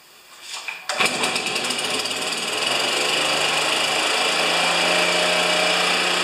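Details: Neglected Stihl BR430 backpack leaf blower, day after a carburetor modification (butterfly flipped), cold at about 40°F, started on choke: it catches on one pull and settles into a steady, even high two-stroke buzz; normal running.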